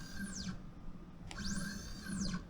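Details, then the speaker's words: Genmitsu 3018-PROVer V2 CNC mill jogging plus Z: quiet stepper whine sweeping up and down in pitch with faint steady buzz underneath; odd axis motor noise, cause unknown. "บวกZแต่ฉันสงสัยว่าจำเป็นต้องส่งเสียงรบกวนขณะขับรถหรือไม่"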